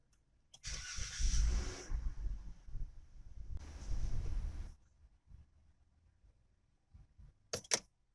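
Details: 2011 Dodge Grand Caravan, no error codes stored: two short bursts of cranking and rough firing that die into silence each time; hard start and won't stay running, suspected TIPM, crank sensor, throttle position sensor or fuel issue, unconfirmed.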